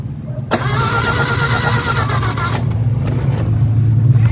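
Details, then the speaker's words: Mitsubishi Adventure gasoline 4G63, cranking during a fuel pressure check after the ignition was fixed: steady uneven churn about four beats a second, never catches; fuel pressure found strong, compression test next. "So panalo na. Ang problema na lang ayaw pa rin mag-start."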